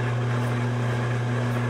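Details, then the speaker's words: Large bevel gears at 45 rpm, mounting distance 2.42 (about 8 thou over design), slight lash, light finger load; steady low hum, no clatter or whine, meshing quietly; mounting distance likely set too small, may need shims. "I can put a little bit of load on it with my fingers or can't really hear that so that actually sounds quite a bit better"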